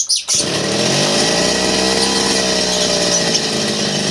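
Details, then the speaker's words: TD40 two-stroke grass cutter, over 10 years old, after new crankshaft bearings, oil seal and clutch drum (it was noisy with crank play): holds a steady high buzz, no rattle or crank knock, smooth and quiet. Runs normally. "tapos eh mate-test na natin kung sana na siya ngayon at sana maganda yung kanyang putol hindi na siya maingay"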